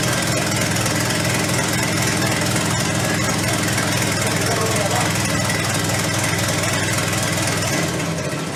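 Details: V10 in a mid-engine Volvo 240 project at first startup. Ragged, uneven idle with irregular stumbles and a shaky beat; direct injectors or fuel pump on one bank suspected, not confirmed.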